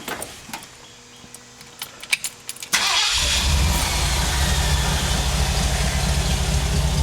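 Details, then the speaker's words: 1975 Ford Bronco being restored, sat 20+ years: a few light clicks, catches around three seconds and settles into a steady, even idle. Afterwards shows 50 psi oil pressure; normal cold start and idle. "I'm gonna start it up for you. Let you hear how this Bronco sounds and runs even after sitting for 20 plus years."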